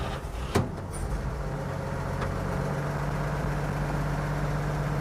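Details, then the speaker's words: 1950 Chevy truck after floor rust repair, restarted after adding a splash of fuel: a clunk, then it catches right away and settles into a steady, even low idle with no misses or knocks. Healthy start. "I mean, it starts right up."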